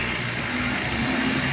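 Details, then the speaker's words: New Honda ADV, one day old with 41 km: loud steady droning rumble with a gritty rushing edge from the CVT, with strong dragging and vibration. "So yun mga tropa ito yung bagong release na ad so isang araw pa lang to ganito Kaingay yung panggilid tapos Napakalakas ng dragging nito mga tropa lakas pati ng vibrate y kung maririnig niyo napakaingay talaga"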